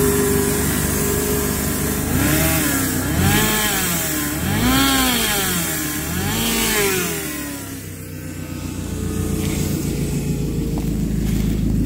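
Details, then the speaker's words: Warmed-up supercharged Toyota Celica ST204 drag car with AMR500 supercharger and Magnaflow exhaust, revved three times: supercharger whine rises and falls under a loud air hiss from a boost pipe with a big split. "there is a major air leak because again i'm using really cheap parts and right now one of the boost pipes has a big split in it so you'll hear a lot of air hissing but you'll at least get the idea"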